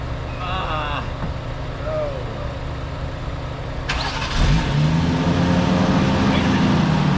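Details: 1JZ-swapped Lexus SC300, second day of no-start attempts after cleaning, jump-started: starter churns at a steady beat, engine catches briefly and stumbles without idling; owner suspects a clogged sensor stuck open.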